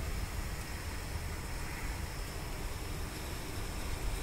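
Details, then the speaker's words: Skoda Fabia with overheating complaint, coolant low and fan not working; radiator fan motor powered directly with engine running gives a steady even airy rush and low hum, no rattle or squeal; fan motor is OK, fault later traced to fan relay. "हमारा fan direct चालू है इसका मतलब हमारा fan okay है fan खराब नहीं है"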